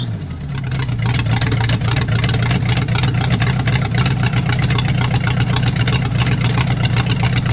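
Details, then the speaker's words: V8-swapped 1946 Dodge Deluxe running off its own fuel system with open headers on a cold day: loud, deep, lumpy V8 burble settling into a steady run after the start; owner suspects the neutral safety switch caused the earlier stalling. "oh holy crap all right well she's running that must have been the issue"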